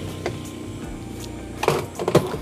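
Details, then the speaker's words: Sanyo twin-tub washing machine spin dryer motor hums steadily without turning, stalling instead of spinning, unable to dry; cause burnt windings. "jadi di dalamnya tuh berdengung ya Nggak Nggak apa Nggak lancar Ya nggak muter langsung berdengung ya"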